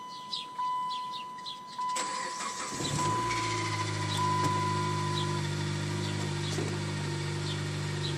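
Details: Dodge Caliber SRT4 first cold start of the day: cranks and catches, then settles to a steady idle with a faint thin whine over the hum; cause unclear.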